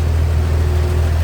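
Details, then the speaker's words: 1953 Chevrolet Bel Air hardtop, inline 235 six, 6-volt system, heard with the hood open at the engine bay; deep, even low idle hum, no knocks, misses or ticks; smooth, quiet runner, normal idle. "That is one smooth runner. Quiet, too."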